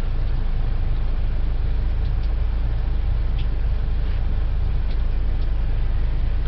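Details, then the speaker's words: 2012 Buick Verano after blower motor replacement for intermittent operation, fan on high speed: a steady, even low rush of air with no rattles or squeals; the new blower motor runs normally. "seems to be working fine"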